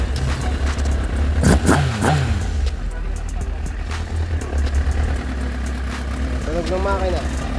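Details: Kawasaki ZX9R inline-four engine run after a rebuild with cleaned parts, gaskets and O-rings. It catches and revs cleanly with crisp, sharp blips, then settles to a steady, even idle; sounds healthy.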